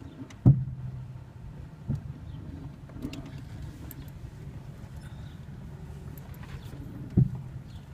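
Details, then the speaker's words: 2011 Hyundai Elantra: a few isolated dull clunks seconds apart over a quiet low hum, happening when turning while moving, including in reverse, but not when turning the wheel while stationary; source unclear. "making a clunking noise not really sure what it is um it seems to happen when I turn and move"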